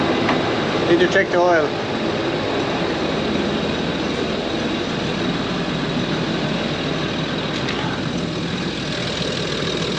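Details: Land Rover Discovery 3/4 2.7L TDV6 diesel (chassis from 7A000001), after fuel filter change and priming: steady smooth idle with even note, brief voice near start; no leaks; normal idle (owner attributes stored fault to turbo actuator, possibly getting slow).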